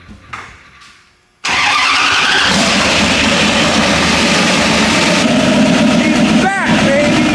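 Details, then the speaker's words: 1998 Ram 1500 with twin-turbo 5.2 Magnum, first start after sitting 4 years, with a new fuel cell and fuel system: cranks, catches at once and runs strong and even with clean throttle blips; normal start and rev. "Whitie 2.0 is back alive!"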